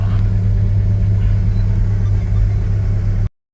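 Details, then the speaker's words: Toyota MR2 Rev 2 Turbo with forged 3SGTE engine, after cold start needing held revs for minutes to idle: deep loud idle with a fast uneven beat around four per second, slightly loping; lumpy idle. "the cold starts pretty awful you have to sit and hold the the revs for a couple of minutes to to get it to idle properly it's quite lumpy but that sounds it sounds amazing"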